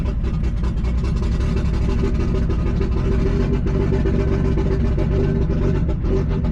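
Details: Nissan G35 with 1JZ swap on ECUMaster EMU Black, 900cc injectors, car long sitting; uneven lumpy idle, stumbling low rumble never settling, misfiring; owner suspects very old, bad-smelling fuel, cause unconfirmed.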